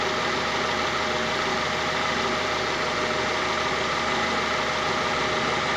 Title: Prelude grinding and whining noise